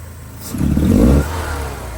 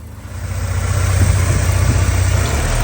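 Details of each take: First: 1984 Porsche 944 that idles perfectly but won't rev above 2,500-3,000 rpm; smoke test shows zero leaks, new fuel lines: quick throttle stab gives a brief flat rise in revs that breaks up and falls back; misfire under acceleration. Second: 1984 Porsche 944 that breaks up and won't rev above 2,500-3,000 rpm: at idle it runs perfectly, a steady even low rumble with no misses or knocks.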